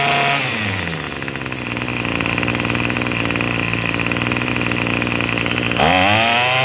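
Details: Craftsman 27cc two-stroke string trimmer, made January 2013, restarted after it suddenly stopped and smoking: high, fairly steady buzzing idle with a quick rev at the end; running normally.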